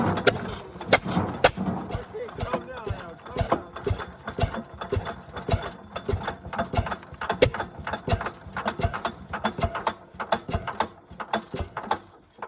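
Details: 1929 Fairbanks-Morse 7-1/2 HP barn-find hit-and-miss engine, first start after oiling and timing set: sharp firing bangs in spaced bursts with quiet coasting strokes between; normal, healthy governor rhythm.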